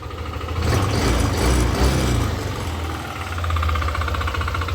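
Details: Yamaha Aerox v2 scooter: engine revving up and settling back with an uneven rattling knock over it; noisy engine, cause unknown.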